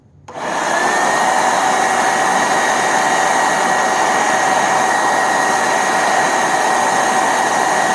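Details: Hoover SteamVac Widepath, about 20 years old, after scrub brush drive repair: motor spins up in under a second to a smooth, steady high whine with no knocks, rattles or grinding; normal running.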